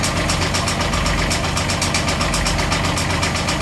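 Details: Beta 25 hp marine diesel, 700 hours: steady idle with a sharp, even knock about four times a second on top; source not yet pinned down.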